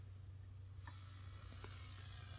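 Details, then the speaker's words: ART Pro Channel II tube preamplifier, connected to a bass amplifier and fed 123 V from a variac: steady low 120 Hz buzz at one pitch, worse with high incoming line voltage; power-supply section implicated (R245/R41 47 ohm 5 W resistors). "it's cooked up to my base amplifier if you hear that that is 120 hertz buzzing that is causing a problem and it can actually get worse if you have High incoming voltage"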